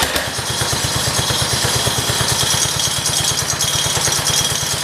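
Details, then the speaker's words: 1968 John Deere 110 single-cylinder engine, first start since reinstalling it in the tractor; fires and settles into an even, steady pulse with no misses or knocks; owner wonders whether fuel reaching the carburetor was the earlier issue; normal running. "we go awesome this sounds really good"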